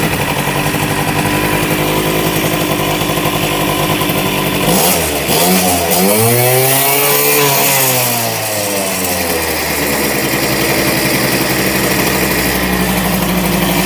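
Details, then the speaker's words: 1988 Honda Vision Met-in 50cc two-stroke scooter, after carb removal and cleaning, kick-started, idle just adjusted down from high: revs sag briefly and recover, then a steady, even idle with no misses. "sounds awesome sounds like new that sounds like the one two5 awesome"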